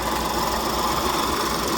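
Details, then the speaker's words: 2019 Ford Escape 1.5 EcoBoost at idle: a constant raspy, gritty hum over a steady idle, first thought to come from the timing belt area. Water pump bearing noise. "YouTubers, 2019 Ford Escape 1.5 EcoBoost, and the engine has really terrible noise. Feels like it's coming from this timing belt."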